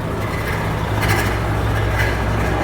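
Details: Volvo FH13 truck diesel idling: rough grinding, knocking undertone with a faint squeak; worn fan viscous clutch hub bearing.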